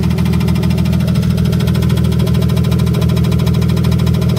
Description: Knocking/ticking from an e36 m3 S52 engine in a BMW e30 with hood closed.